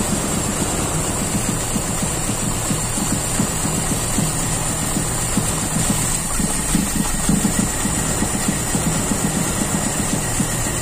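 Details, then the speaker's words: Toyota Kijang Super with unstable idle, cylinder 4 plug found wet: uneven, lumpy idle with loping low beat and faint hiss; false-air leak suspected at a too-loose PCV valve after the carburetor was ruled out. "Berarti ada kemungkinan dari jalur lain bisa dari ini nih boster ya kan dari PCV ini pcv-nya terlalu ngelos"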